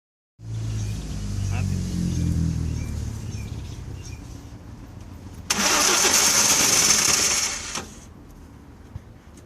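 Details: 1992 Audi 100 with 2.3L five-cylinder AAR engine cranking in long bursts without starting; fuel pump, spark plugs and fuel filter already replaced; cause found to be a faulty fuel distributor.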